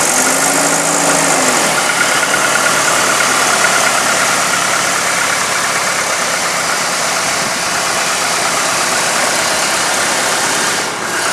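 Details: 1998 GMC Sonoma pickup after water pump replacement and coolant refill: smooth, even idle with a steady hum and no knocks, ticks or squeal; healthy running engine.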